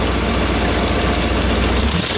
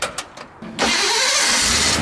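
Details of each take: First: Ford Bronco V8 with newly installed Holley Sniper EFI, some wide-open-throttle timing removed, first drive on grass: at full throttle it surges then abruptly cuts and recovers about every 1.5 seconds; owners suspect hitting rev limiter. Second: Ford Bronco with Holley Sniper EFI, after a replacement starter was fitted and fuel topped up (it had likely run dry): a few quick cranks, then it fires at once and settles into a strong, steady roar. A clean, fast start.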